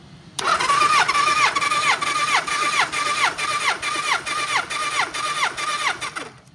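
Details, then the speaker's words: Kawasaki ZN1100 compression test, starter cranking cylinder four; even cranking with steady compression pulses about two a second and no misses, reading about 150 psi, similar to the other cylinders (about 160, 170, 145); healthy compression. "Well, you can hear it get to the point where it kind of stops. You don't want to sit there and keep spinning it, because you could hurt the starter, because the starter gets hot after a while. So once it was about 150 and it stops, it's good enough."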